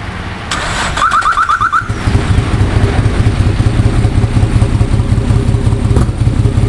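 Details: Nissan 240SX S13 with RB25DET swap: cranks and catches, then lumpy idle with uneven loping pulse about three beats a second; engine misfire, cause unclear.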